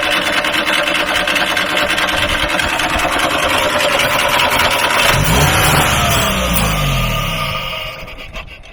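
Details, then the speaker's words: Free truck being started with carb cleaner and fuel pump checked: runs rough and uneven, pitch sags and winds down over three seconds until it quits; stalling, suspected fuel starvation or switch off, not confirmed. "is the switch on yeah maybe it's not grabbing the fuel there's not not enough view"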